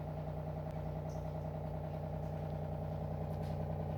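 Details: Suzico four-stage RO water filter, powered on in normal purify mode after an 18-second auto-flush; steady low even hum with a faint regular pulse and no knocks or rattles; the filter pump is running normally.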